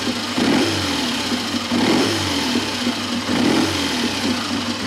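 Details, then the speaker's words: Motorcycle unused 3-4 years: three quick throttle blips rise and fall cleanly over a steady idle without stumbling; carburation healthy, picks up nicely. "And it picks up nicely."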